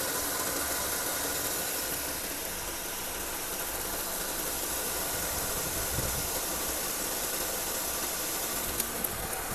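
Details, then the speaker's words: 2015-2018 Honda Civic idling with the car jacked up. The noise is loud at startup, then goes away. Steady hissing whir from a worn belt idler pulley bearing. "In the meantime, I let you hear the sound of the bearing make a noise. You can hear that after the car jack up, okay? Here."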